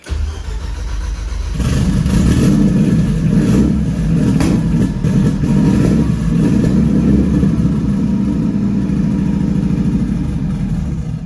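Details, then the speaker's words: Rebuilt Nissan Juke project, early start: the engine fires, then the revs surge and sag and only hold with throttle; it won't idle. It later idled on its own for no known reason. "I'm going to get it idling and then I'll come back on here and it's running just doesn't want to idle for some reason"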